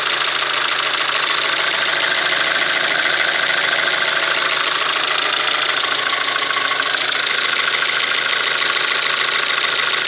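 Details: Kia Ceed with G4FG petrol engine knocking at steady idle: fairly regular light knock, roughly two per second, over a hissy background; cause unknown.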